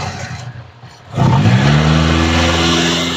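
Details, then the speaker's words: 1986 Toyota Starlet, started directly for a used-car check: brief crank, then it catches quickly and settles to a smooth, steady idle with an even hum; engine judged sound and still healthy. "cur teman-teman kondisi mesin aman katan ini untuk kondisinya klakson juga nyala"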